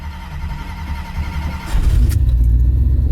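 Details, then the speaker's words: Muscle truck V8 with Holley Sniper EFI, cold start with one throttle bump: brief crank, fires cleanly and settles into a deep strong idle with a light blip; first-key start can be hesitant, owner suspects fuel pressure or low enrichment. "Alright, cold start, baby, here we go. Just going to bump it once."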